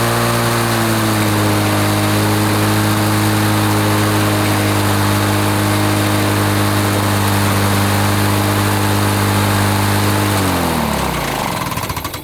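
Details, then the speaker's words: 1980s Lawn-Boy two-stroke mower after service, carburetor screw set, choke off, about 3480 rpm at full throttle: a steady, even high-speed drone with no misfire or hunting, then a clean wind-down. It runs well and needs no carburetor adjustment. "I don't think we need to adjust that carburetor it doesn't seem to need anything it's running really good"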